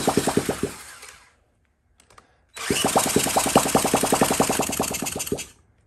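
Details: 1979 Honda Z50 single, fuel poured into the spark plug hole: short bursts of quick popping as it catches after a kick, then fades and dies each time; fuel starvation, the carburetor isn't getting fuel.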